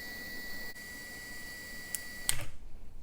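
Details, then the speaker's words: Dryer bimetal thermal switch (dryer won't heat) being reset by light pin pressure, then tripped again: a quiet room with a faint electrical whine, then a couple of sharp small clicks as the switch snaps. "Again, a very, very, very light touch, and you can see, if you can already hear, I've already tripped or reset it, but just by pushing in."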